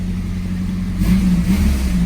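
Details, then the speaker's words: 5-speed pickup truck with stock exhaust, revving: raspy puffing exhaust note; obviously an exhaust leak somewhere, location unknown. "has a stock exhaust on it like it obviously has an exhaust leak somewhere"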